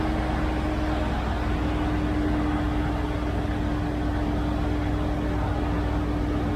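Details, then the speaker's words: 1971 C3 Corvette with a just-rebuilt Quadrajet four-barrel, first start with the choke on: a steady fast hum well above the expected roughly 1800 rpm choke idle. Too high; the idle needs backing off. "right a little high it's supposed to be your island about 1800 rpm with the choke on this law is probably coming down that's still way too high"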